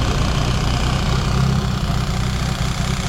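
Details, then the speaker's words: Fiat Seicento Sporting that holds back around 4000–4500 rpm, idling with no audible vacuum leaks: deep, uneven, lumpy idle; cause not found, SPI unit, throttle body and fuel filter being checked. "I'm going to have a look underneath at the fuel filter as well and check that out. So it is a bit lumpy."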